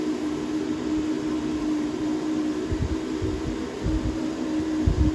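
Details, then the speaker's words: New YESWELDER plasma cutter on 220 V, air hose connected near 50-57 PSI: steady low hum with constant airy hiss, no sputtering or surging; normal running with air flow. "this would be our amps we want to cut at 55 if we want to cut at 27 all the way down to 20 amp so let's get our air hose plugged in"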